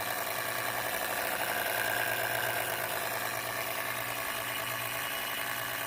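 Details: MSI PE60 6QE gaming laptop: constant airy rush with a low hum underneath and no rhythm; cooling fan running annoyingly loud, unrepaired.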